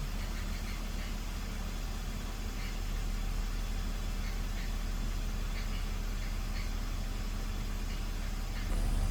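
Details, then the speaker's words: BMW E46 idling after vacuum leak repair (CCV system replaced, two of six bad coil packs found) that cured misfires; idle low, even and steady with no ticks, misses or hunting, revs settling as it warms, far smoother than minutes before. "the smoothest this car has run though like by far like I this is running insanely smooth compared to what it was not even 5 minutes ago"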